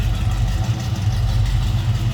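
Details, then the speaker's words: 1970 Chevrolet C10 stepside with rebuilt 350 V8 and Hedman headers, heard from the rear after a cold start: deep, even V8 burble with loping low pulses, no knocks or misses; normal idle. "Flip around to the back so you can hear this run. Good sounding 350."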